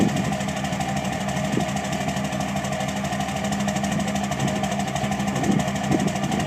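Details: 2006 Cummins diesel clattering at idle with an uneven, hunting beat and occasional stumbles: rough idle, cause not yet identified.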